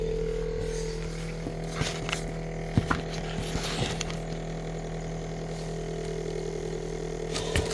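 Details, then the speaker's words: Samsung Zipel SRT686FVIS refrigerator, rear condenser and fan compartment opened: steady low drone with fine rattle and handling knocks; weakened condenser mount lets it vibrate, pushing condenser stops noise, newspaper wedged under condenser fixed it. "금 이제이 소음의 원인이 어이 응축기의 응축기가 응축기로 응축기 구정이 잘못되어서 뭔가 어 소리가 소음이 소리가 나는 걸로 보입니다"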